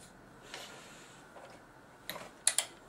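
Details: Samsung PS42A451 plasma with S42AX-YB04 panel, stuck in standby from a faulty signal-board EEPROM; screen service mode forced by shorting two pins, then sharp clicks around 2.5 seconds as the power-supply relay pulls in normally.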